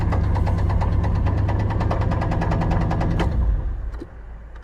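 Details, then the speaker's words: '88 Firebird project car, started after sitting; it is known to knock: a steady, fairly even knock about four per second over the idle, fading as the engine shuts off; internal engine knock, cause undetermined. "all right here it sits the battery's still good oh she's in the on position that's good oh yeah she still knocks"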